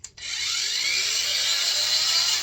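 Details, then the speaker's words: Cordless Einhell angle grinder, a few years old, with a soft-start function. The motor ramps up gently over about a second to a steady high whine, smooth with no rattle or grinding; a normal soft start. "It's called a soft start, so as soon as I turn it on, it's a gentle start."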